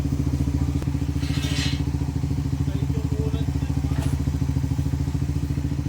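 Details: Rider/Raider Fi motorcycle after clutch housing repair for rattling noise: steady low engine beat at quick even pulse with no rattle from clutch side; clutch area quiet and healthy, normal running.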